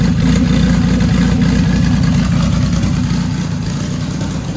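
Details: Dodge Caliber SRT4 turbo petrol engine just after Precision 6266 turbo install with coated manifold and new gasket, first start, warming at idle: smooth even idle, steady low rumble, no ticking, hissing or misses; new tune still needed.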